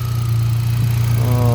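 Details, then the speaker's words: Hyundai Accent gasoline, cranked but wouldn't start until the fuel pump relay was swapped with the horn relay; coil has power: low steady even idle hum, no stumbles or missed beats; firing cleanly, no misfire. "Meron namang kuryente. Ayon goods naman. Walang palyado."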